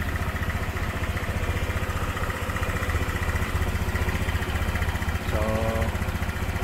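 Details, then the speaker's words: Honda Click 150 fuel-injected scooter idling after tensioner replacement, with the throttle body refitted and the engine not yet hot: an even, steady thumping idle at three to four beats a second, with the earlier ticking gone; normal idle. "Okay, so yan, nawala na nga yung konting lagitik. Alright, so yan, tahimik na."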